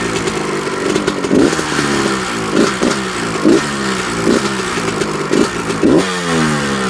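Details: 1998 Kawasaki KX125 two-stroke: light ticking and rattling with clattery bursts when started and when revved; the owner does not know the cause.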